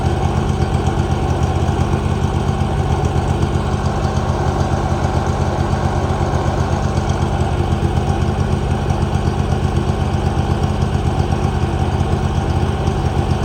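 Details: 2018 Hustler Raptor SD mower, Kawasaki FR691V V-twin, just after head gasket and valve seal replacement, shroud off: steady even thump about four pulses per second, no misses or knocks; smooth healthy idle.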